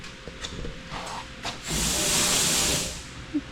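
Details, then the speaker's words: 1949 Chevrolet Deluxe, long parked, fuel line check: dry steady hiss of air for about a second with no liquid gurgle, so the line is not drawing fuel. "It just sounds like the air is coming through it. It just doesn't sound like it's gurgling."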